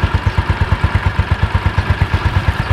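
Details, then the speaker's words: Yamaha Mio Sporty (around 2007) after repair: clean, even single-cylinder idle with no rattle from the belt drive. The earlier rough CVT noise came from the kick-starter pin rubbing the pulley shaft. "Wis, bedakan sebelumnya sama sesudahnya. Oke, harus ya teman-teman, tidak ada suara kasar."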